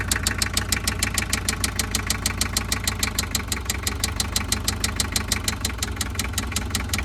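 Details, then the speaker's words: Toyota Mighty-X van, 2L diesel, starts but barely holds idle, power down: heavy even knock about three per second over rough idle, louder with revs; likely a spun connecting rod bearing, cylinder 1 rod not following crank when turned by hand. "รถตู้หัวจรวดเครื่อง2Lนะครับสตาร์ทติดแต่เดินเบาไม่ค่อยได้นะครับแล้วก็มีเสียงเขกป๊อกๆๆๆแล้วก็กำลังเครื่องยนต์ตกนะครับยิ่งเร่งเครื่องเสียงยิ่งดังนะครับมาดูกันนะ"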